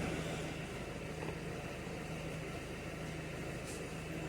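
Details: Citroen Nemo diesel, previously a no-start with a dead battery and EGR and immobilizer fault codes: with the correct fuel it runs fine, an even, steady low diesel clatter at idle with no misses or knocks.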